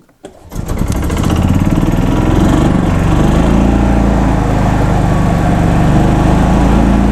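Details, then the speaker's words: 2004 Club Car Precedent gas golf cart in maintenance mode, originally crank-no-start: engine races flat out at constant high pitch with throbbing pulse, hitting the rev limiter and never dropping back; governor suspected bad or out of adjustment, not confirmed. "it seems like we might have an ignition issue because this thing is also hitting the rev limiter so let me okay because it's hitting the rev limiter I think our governor is either bad or way out of adjustment"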